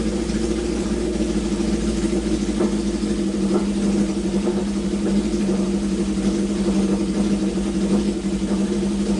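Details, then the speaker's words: Honda CB750 four-cylinder, revived after sitting with points filed, coil fitted, oil level corrected: busy even burble, no stumble or missing beat idling and revving, runs clean on all cylinders; normal. "well i'm going to classify that as an absolute win i mean i did almost nothing to bring this bike back to life um which is awesome i mean these classic hondas nine out of ten of them just want to run"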